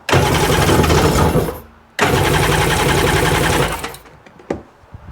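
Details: 2002 Sea-Doo GTX DI that won't rev up, cranked after the fuel line was reconnected: two even cranking bursts of about 1.5 s each, turning freely but never firing. An air leak is suspected, with fuel pressure low relative to air pressure.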